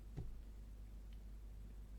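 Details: EPEVER Tracer 5415AN MPPT solar charge controller, battery connected: faint sharp ticks about once a second; clicking only with battery line, not panels alone, no shorts found; firmware reset suspected, unconfirmed.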